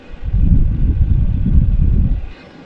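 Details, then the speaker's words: Chinese AliExpress Webasto-style diesel parking heater running flat out, exhaust hot enough to burn and having melted something it touched earlier: deep rumbling roar from burner and fan swelling then dropping away; heating hard, normal. "donc là pour vous dire que là ça chauffe de fou"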